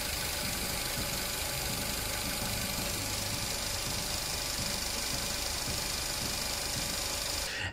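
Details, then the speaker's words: 2018 Mitsubishi Eclipse Cross, engine light, P0171 fuel trim too lean, slightly rough idle: constant sharp hiss over quiet uneven idle from split breather pipe between rocker cover and intake manifold leaking vacuum. "popped the Bonnet had a visible look around could hear the leak straight away and was very easy to see it there was a breather pipe coming from The Rocker cover down to the intake manifold"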